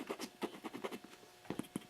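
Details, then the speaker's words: Old driver in homemade test speaker used on organ tube amplifier bench: irregular scratchy crackles and rasping bursts instead of clean tone; blown loudspeaker driver. "and anyway i did blow one of these things that one there listen to that um that one is gone"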